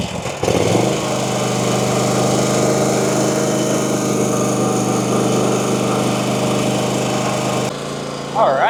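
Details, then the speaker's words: Small single-cylinder mower engine after repair, still smoking slightly: catches and settles into a fast, steady buzz with an even beat and no misses. Running healthy. "look at this beauty. Running like a champ. All right, got it fixed."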